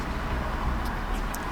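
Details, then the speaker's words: Used car checked at idle with the window down: a steady, low, even rumble with no tappet tapping, and it does not sound tinny when revved. Normal idle. "sounds pretty good to me okay is it tinny let's have a rev it doesn't sound too tinny"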